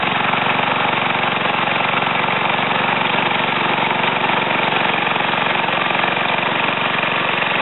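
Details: Ariens TA20A Trans-a-matic rototiller, single-cylinder engine rebuilt and clutch repaired, carburetor untouched; steady even beat around fast idle, no misses or knocking; normal running.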